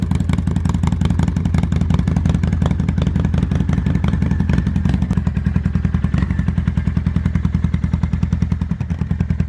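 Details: 2005 Kawasaki Vulcan 800 V-twin on a cold start: steady, even, lumpy idle beat with regular firing pulses and no knocks or misses, a healthy idle.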